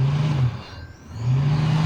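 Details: Refrigerator fan motor after replacement (old motor was faulty, not the switch): steady low hum from the small fan motor, dipping briefly mid-clip then back up evenly; runs smooth with no rubbing or grinding.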